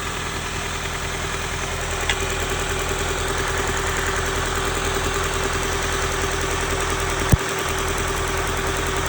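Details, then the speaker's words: 1995 Honda Civic D16Z6 1.6 L inline-4 with a misfire: lumpy, stumbling idle with one injector unplugged to test for a leaky injector; performance changed a lot, so one cylinder is cut out. "As you can tell, so I pulled that injector. The performance changed a lot."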